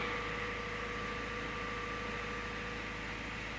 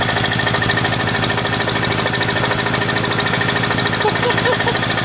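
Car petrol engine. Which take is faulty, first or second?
second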